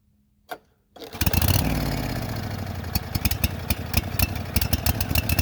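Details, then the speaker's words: Late-1990s Snapper SR1642 riding mower after throttle linkage fix, owner suspects lean running, more fuel given: cranks and catches then runs unevenly with stumbles and surges; rough running, cause unclear. "uh did that and it uh still doesn't run want to run like it's supposed to"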